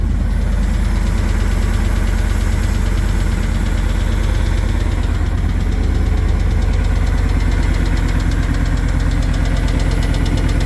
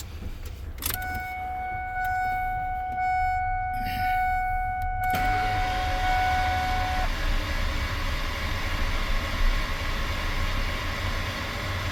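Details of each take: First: First start after engine bearing replacement, fresh 0W20 oil, oil pressure present, plugs and coilovers fitted, serpentine belt off; even idle with a steady light quick tick about three a second, tick persists, cause unknown. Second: Normal cranking with spark plugs removed to check oil pressure after bearing change and exhaust header torqued; a chime, then the engine spins over with an even whir and no firing, turning freely, and good oil pressure builds.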